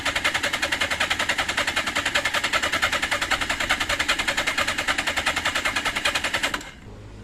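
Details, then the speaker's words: 1982 Suzuki GS650GT, choke cable broken and disconnected, fuel tap on reserve, good battery: starter churns about 3.5 even pulses a second for six seconds, no fire; cranks but won't start, owner thinks it needs more fuel. "might just need more fuel battery seems good cranking well but no fire right couldn't get to run could not get it to start"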